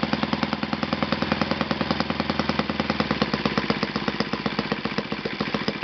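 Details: Yamada (Futaba) YS-F120 four-stroke 120-size model engine on test stand after total rebuild (combustion chamber buildup, piston and ring problems), Yamada No.4 glow plug: steady rapid even popping beat, no stumbles or surges; well tuned, normal running.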